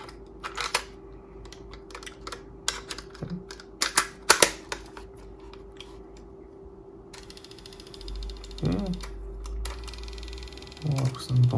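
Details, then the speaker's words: Aiwa HS-PX410 walkman after capacitor repair: sharp uneven clicks over a steady low motor hum come from the cassette tape, not the transport; another tape plays quiet. "that sound clicking is from the tip not from the inter transport"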